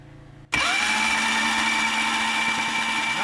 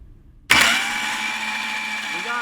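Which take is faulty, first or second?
first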